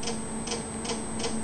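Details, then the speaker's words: RepRap 3D printer stepper motor, mainly X and Y axis: a sharp single tick about every 0.4 seconds while idle as the motor makes single steps back and forth; stepper jitter, owner unsure of cause, doubts PWM driver. "you can see the step motor is making very small movements I think they're single steps back and forth"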